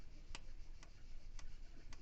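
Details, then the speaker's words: Renault 4L with 1108 cc Cléon engine fitted with an electronic ignition module replacing the condenser, engine off, ignition on: points current down from 3.3 A to 1 A; four crisp clicks with no arcing, normal breaker points operation. "contre, il y a plus de béluge, il y a plus rien. Voilà pourquoi les rupteurs vont durer très longtemps."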